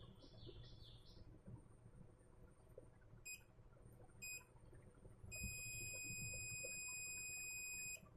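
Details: Gigabyte H61 motherboard with no power, meter on a brown capacitor: a few short chirps, then a long unbroken continuity beep reading zero; the capacitor is shorted and will be removed.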